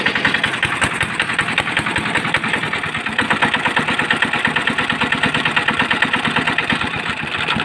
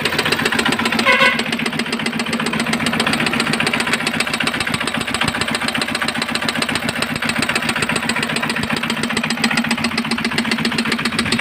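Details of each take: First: Small engine after repair of a heavy jam and noise problem, traced to a broken air filter piece pushed into the cylinder between piston and head: quick, even firing beats at a steady idle, no misses or knocks. Normal idle. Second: Engine jammed and hard to start: steady idle with sharp regular knock about 220 a minute; broken air cleaner filter piece got pushed into cylinder, trapped between piston and head.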